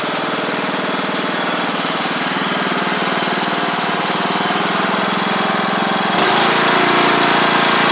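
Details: MTD Craftsman LT1500 riding mower with swapped-in replacement single-cylinder engine, first run with blades on after a suspected stuck carburetor float: smooth, even buzz, louder as blades engage, holds speed without bogging; healthy.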